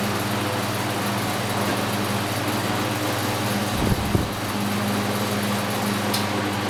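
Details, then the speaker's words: Vintage early-to-mid-1950s Belco 16-inch box fan, restored, Marco-style motor, running on high speed: steady fan hum with a faint light rattle; owner believes it is either the motor or the blade, unsure which. "Not a bad running fan overall here. It kind of rattles a little bit. I believe that's either the motor or the blade."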